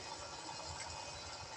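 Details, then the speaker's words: Kolin 3hp aircon fan motor after replacing stuck, stiff bearings with new ones: soft, even whoosh with no grinding, rumble or ticking; now quiet, normal running. "Tahimik na siya."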